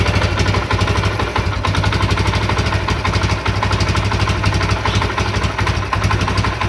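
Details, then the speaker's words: CD70 single-cylinder motorcycle after carburetor cable and idle speed adjustment for better fuel mileage: an even, steady putter at idle with no knocks, misses or hunting; normal idle. "तो इसकी ideal speed adjust कर लिया हमने। उम्मीद है इंशाल्लाह इसकी बहुत अच्छी एवरेज होगी इस बार।"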